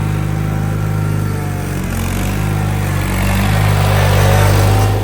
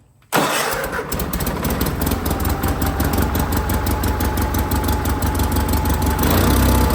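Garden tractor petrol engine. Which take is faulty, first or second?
second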